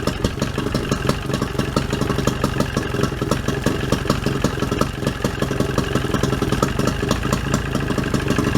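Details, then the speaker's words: 25 hp Johnson two-stroke outboard after its broken battery cable was repaired: a quick, even popping beat settling into a steady idle with no misses or knocking; a normal idle. "trying to get us a good Idol"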